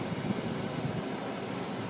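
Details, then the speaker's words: 2001 Dodge Ram 1500 with manual AC controls, engine running, new aftermarket blower motor: strong, steady rush of air with even low hum on high, no ticking or scraping; old motor had run sluggish on all speeds; now healthy. "finally blows high before it was working real sluggish like at high speed it seemed like it was on very low"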